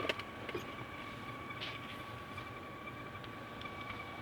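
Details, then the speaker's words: 2012 Nissan Qashqai J10 heater blower motor with a thin, steady high-pitched squeal over fan rush at certain speeds, disappearing at speed 2 or below; typical by about 100,000 km. "надеюсь что слышно причина довольно банальные просто убираем до 2 скорости скрипт пропадает то есть этот скрипит моторчик печки на определенных оборотов"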